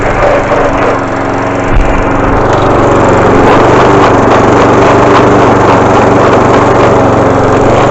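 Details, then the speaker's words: 5hp 3800psi petrol pressure washer: small single-cylinder engine labours with an uneven, shuddering beat as load comes off the pump on trigger release; it judders coming off the trigger, cause unclear. "You can stop it by putting pressure on it and holding it back. It will stop, but it makes a juddering noise when you come off of it."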